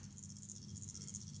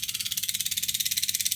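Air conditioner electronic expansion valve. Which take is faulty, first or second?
first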